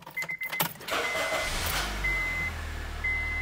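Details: 2009 Honda Civic with an intermittent immobilizer fault: with a different key a brief crank catches quickly and settles into a steady, even low idle with a faint chime; a normal start, so the original key is blamed.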